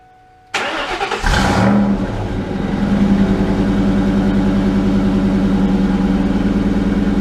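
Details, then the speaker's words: Mustang Bullitt V8, first start after fitting a JBA stainless off-road H-pipe with stock Bullitt mufflers and new O2 sensors: a deep, loud, lumpy idle rumble, much louder than stock; slight passenger-side leak noted. "Definitely a lot louder right off the get-go. Probably going to start smoking a little bit because of the new pipes, but you could definitely tell that rumble of the idle."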